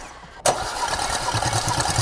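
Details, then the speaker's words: 2018 Porsche Macan 2.0 petrol, 95,000 km, cylinder 3 and 4 misfire with fuel-soaked plugs: cranking compression test gives an even, steady chuff, all four cylinders normal; fault likely points to failed ignition coils. "스톱 톱 다행히도 1 2 3 4번 압축이 정상이네요"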